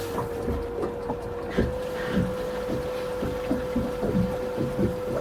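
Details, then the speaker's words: Boat engine room with transmission-to-shaft flange underwater splashing water: small bilge pump switched on to pump out, steady mid-pitched electric hum under irregular thumps and sloshing; this pump running normally, other red-top bilge pump not working. "Go ahead and turn it on and we'll pump it out now and see what's going on. And we'll see if this is the bilge pump that's actually running."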